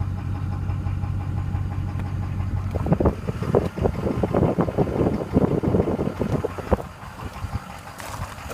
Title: 2015 6.7 Engine Knock